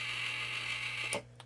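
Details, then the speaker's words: RainSoft EC4 water softener control head cycling through regeneration while depressurized; steady high motor whir with faint creaks, cutting off with a click. Creaking means the steel, Teflon-coated control piston is dry and needs relubricating, with seals and spacers inspected. "because most of the time when you hear that creaking and cracking it just means that the piston needs to be re-lubed and like i said seals and spacers inspected"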